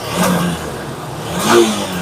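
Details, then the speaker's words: Honda SP 160 BS6 with check engine light and intermittent starting: two throttle blips where the revs rise sluggishly and stumble, sometimes not picking up; misfire and hesitation from a faulty spark plug cap. "কখনো কখনো pick up নিচ্ছে, কখনো কখনো pick আপই নিচ্ছে না।"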